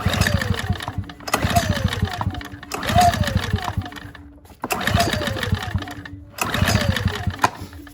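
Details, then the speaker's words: Ryobi RYi2322 inverter generator, non-running, using starting fluid: repeated recoil pulls, each a quick burst of compression chuffs that dies without catching; it cranks but won't fire. "With a little more starting fluid, because it should at least pop off with this. Try to run. Oh, it's about to go."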